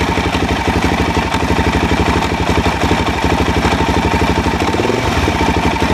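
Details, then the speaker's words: Suzuki DRZ400 single with rebuilt top end, not rejetted, at fast idle: heavy uneven thunk on each beat, about three a second, from the bottom of the engine; higher octane didn't fix it; cause was loose bolts on the plate behind the stator cover. "i heard a really nasty knocking thunking sound coming from the bottom of the engine it happened under load not under load"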